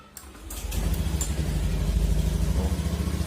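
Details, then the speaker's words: Honda Vario 110 LED CBS ISS scooter after a new battery reading 12.8 V; a brief quiet crank, then it catches instantly and idles evenly with no MIL; the earlier tek-tek no-start was caused by the battery. "ya greng langsung ya langsung oke kita matikan starter lagi enggak ada kode mil menyala ya langsung starter"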